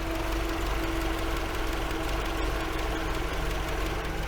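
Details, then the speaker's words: 1980 MGB after fitting a different ignition coil, engine not hot, radiator fan running full: steady, even idle with no misses or knocks, fan whooshing behind; engine healthy, problems likely ignition, fan possibly temperature switch. "I mean that doesn't strike me as a particularly unhappy engine so maybe most of the problems were actually with the uh with the ignition system"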